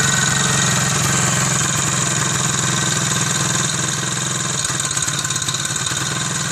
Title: Soviet Izh Planeta 3 (Иж Планета 3). Strange noise